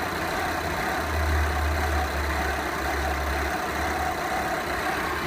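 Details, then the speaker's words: Rough idle on a 2013 VW Jetta TDI diesel: a deep, uneven, lumpy pulse that never settles into a steady beat, with the whole car visibly jerking. The cause has not yet been pinned down. "if you look inside, you can't really tell here, but the whole car is like jerking like this."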